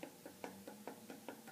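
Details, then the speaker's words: Longboard wheel with new bearings on Gullwing Sidewinder trucks spinning freely: sharp light knocks about every quarter second; axle nut too tight or missing bearing spacer, should spin freely and silently. "I don't if you guys can hear that noise but you don't want it to do that"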